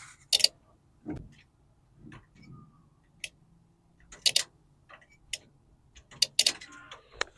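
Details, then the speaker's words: Classic Chevy truck being rewired, key turned on with the engine off at night: a few sharp single clicks in a quiet cab, one crisp snap as the distributor relay pulls in normally. "We're just gonna at least see if the relay for distributor turns on. If we can at least hear it. The relay turned on."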